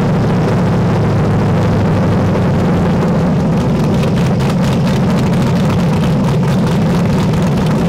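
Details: LS V8-swapped Miata with cam, freshly tuned, started after loosening an over-tight throttle cable that caused high idle; temporary throttle body cover fitted. Deep, loping idle, steady low rumble, no knocks; engine running evenly.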